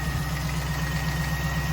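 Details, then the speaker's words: 1998 Pontiac Trans Am LS1 V8 after fuel rail removal and injector cleaning: steady idle with a light regular knock on each firing pulse; owner suspects piston slap, unconfirmed; no worse than before. "now that knock is still there pretty sure that's piston slap as someone commented on my previous video"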